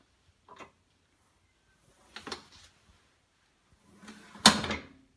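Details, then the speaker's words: Vandercook No. 17 proof press, cylinder turned by hand with the frisket engaged: light clicks and a firmer clack as the paper grippers pop open, take the sheet and close back on it, gripping normally before printing. "That sound there is the grippers picking up, and now the paper is resting within them. As I turn the handle this way, they close back on it."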